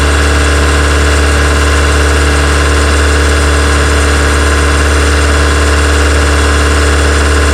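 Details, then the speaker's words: Honda EK Civic with a freshly built Vitara D16 turbo engine on its first start-up, radiator cap off; steady fast droning idle that never drops to normal, stuck near 2000 rpm. Owner thinks it is an ECU setting and suspects the throttle body. "I'm very happy, I'm very proud that it started, but I'm really shit scared as well because I can't get it to idle below 2000, and that's a setting in the computer, but I can't work out how to recalibrate it."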